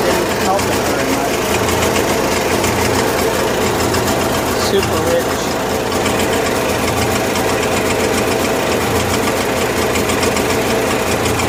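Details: 1980s Kohler 7000 W gasoline generator in 1963 GM PD4106 bus conversion, no load, choke halfway to fully on: constant speed, dull muffled heavy beat; running super rich from choke; later tune-up (plugs, points) improved running.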